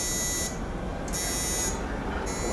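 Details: OBS truck with LS swap after wiring work, key on: steady high warning buzzer pulsing about once a second, dash now has power with battery and brake lights showing; normal key-on chime.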